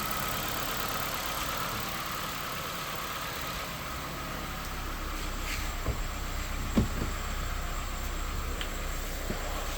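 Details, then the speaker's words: 2016 Ford Fiesta SE engine after valve cover gasket replacement: quiet, even idle hum with no ticking, knocking or rattles and no leaks; runs healthily. "Okay, there we go. No leaks. Sounds good. No weird noises, nothing, which there shouldn't be. And it should be all set, good to go."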